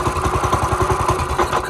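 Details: Small single-cylinder engine, long parked and revived with just fuel and starter fluid, oil not yet checked: quick, evenly spaced pops at about twelve a second, holding steady without stumbling. Normal running.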